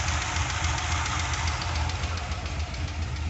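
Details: 2002 Corvette LS1 with Brian Tooley BTR Stage 2 cam (227/238, .620"/.605", 113.5 LSA), idling with light ticking three or four a second over lumpy V8 idle, better as it warms; cause undetermined.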